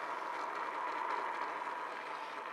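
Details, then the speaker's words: Bedini free-energy motor with bifilar coils, running unloaded at start-up: rough, gritty whirr and a thin whine because the bearings are pretty well shot, though it still works. "t up and it's fairly noisy because the bearings are pretty well shot but it still works"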